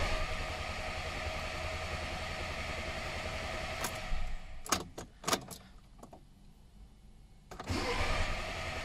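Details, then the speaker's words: 2011–2015 VW Golf 6 Cabriolet, 1.4 TSI twin-charged petrol (CAVD/CTHD), 7-speed DCT, with an intermittent crank-no-start that also cut out on the road: starter spins steadily for several seconds without catching, then cranks again. "this is a TSI and it's got an intermittent cranking no start fault also cut out on the customer on the road"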